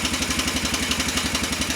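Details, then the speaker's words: 2003 Honda Rincon 650 ATV, jump-started after a wreck: steady tap about eight times a second over the idle, getting louder; owner suspects valve adjustment or timing chain, not confirmed. "Definitely has a noise in the engine. Hear it kind of getting louder. It may be just a valve adjustment. To me, when I first heard it, it sounded like a timing chain."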